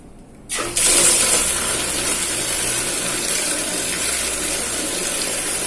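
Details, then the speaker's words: Household water pump after repair for weak, air-sucking flow: the tap opens to a strong, steady rush of water over a faint hum. The sound has changed and water now flows properly. "Hai Dear ngangkat oke suaranya jenis suaranya juga sudah beda ya ini terdengar air keluar"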